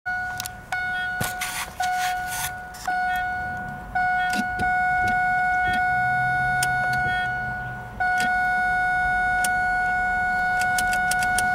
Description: when turn the key the chime goes constant and it acts like the key is off.